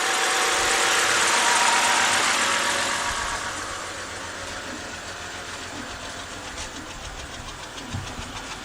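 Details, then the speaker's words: 2011 BMW 328i 3.0 with code P0302, a cylinder 2 misfire, heard at the rear exhaust at idle. The exhaust has a steady puffing beat, about four a second; it has smoothed out a lot but the misfire remains. "Okay. Huh. It's like it's smoothed out a lot. But still got that misfire."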